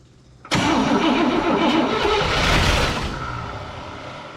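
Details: 1961 Cadillac 390 V8 after fixing massive oil leak, before cam break-in: starter kicks hard, engine churns and half-catches for a few seconds then sags without idling; no oil pressure yet seen, no throttle return spring.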